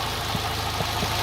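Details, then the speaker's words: Engine with a "wavy" idle, running on petrol, after valve adjustment, new spark plugs, even compression and a throttle body clean: lumpy, uneven idle with stumbles about every half second, little improved; rough idle. "no i tak sobie to popierduje nie powiem żebym był zadowolony z efektu jest lepiej ale to nie znaczy że nie ale chyba nie jest lepiej tego nie wykształcimy"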